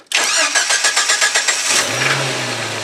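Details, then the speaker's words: Jeep Wrangler YJ with failed key cylinder, straight-wired with relay and switches to start without key, in neutral: quick cranking about four turns a second, then catches cleanly into smooth, even idle. "yay it runs it's alive it's alive"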